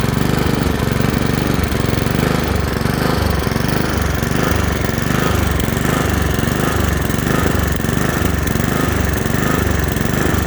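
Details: Honda HRX217 lawn mower engine surging, speed hunting up and down with a choppy, uneven throb; caused by a dirty carburetor, fixed by cleaning the carburetor.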